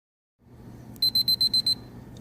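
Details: Alarm panel chirping all day for no known reason: six quick, sharp, high-pitched beeps in under a second over a quiet room hum; owner suspects it is signalling a code; continuous beeping.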